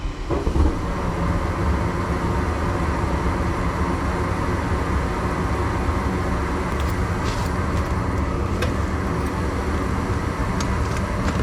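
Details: Newly installed replacement gas furnace at first startup: even low roar comes up at once and holds steady with no rattles, surging or squeal; firing and running fine.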